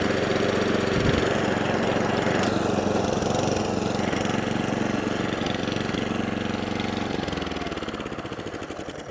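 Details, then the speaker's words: Atco Balmoral 20S electric-start cylinder mower after adjustment, idle nudged up: even, steady putter about four beats a second, no misses or surging; idling cleanly. "Just what's a little tiny, just a sliver. Not out too much. There, a nice little happy purr."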